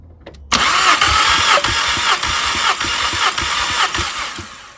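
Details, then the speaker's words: Mk5 VW Golf GTI with cylinder 3 misfire, compression test with fuel pump fuse 27 pulled: even cranking about three strokes a second with steady, equal compression pulses; this cylinder reads 195, healthy (cylinder one 190). "195 on that one so again pretty good compared to what I've seen online"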